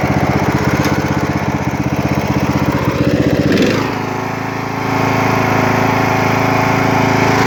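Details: Poulan XT (Husqvarna) 42-inch lawn tractor, Briggs & Stratton 16.5 hp 500cc engine, mint condition, started on choke: steady single-cylinder chug at even beat, easing slightly lower partway and holding smooth; normal healthy running.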